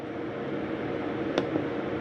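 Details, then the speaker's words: Jayco Eagle 24RE RV furnace just switched off: a soft, steady airy whoosh with one light click as the furnace fan keeps running for a few minutes after shutoff. This is normal blower run-on. "Now shut your furnace off. You can go through different modes, cool, etc. Shut everything off. Now your furnace fan will take a few more minutes to shut off."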